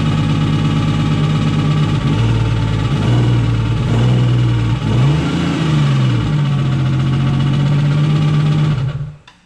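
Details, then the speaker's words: Nissan Skyline with a freshly rebuilt engine idles steadily, then stumbles and sags when the throttle is touched and dies. It stalls on throttle, something is missing, and oil pressure reads low. "As soon as you touch it, it dies. Something's missing."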